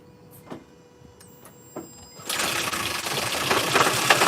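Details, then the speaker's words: Toyota Prius first start after head gasket replacement, engine assembled and sitting a long time; a few faint clicks, then it catches with a busy metallic rattle over idle, from dry lifters not yet pumped up. "you're gonna hear that rattling sound you had your engine uh put together for a long period of time before you started it so the lifters didn't"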